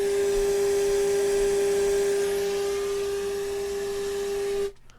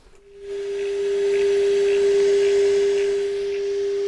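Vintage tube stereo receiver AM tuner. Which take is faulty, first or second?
second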